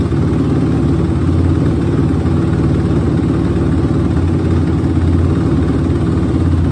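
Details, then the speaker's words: 2006 Suzuki RM-Z250 single-cylinder after new OEM timing chain, valve adjustment, carb clean and air screw tune-up: steady, even low idle with regular firing beat, no ticking or knocking from the top end; sounds good, healthy. "definitely sound good and be touched get it cycled"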